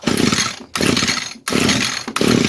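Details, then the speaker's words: 22-year-old Echo string trimmer, sat for years, fuel screen was clogged; on choke it catches in short raspy bursts under a second then cuts out, won't keep running; owner thinks it needs a new carburetor. "Okay, more choke. Yeah, I think we're going to have to get a new carb for this thing. It tried, but I want the choke like halfway on."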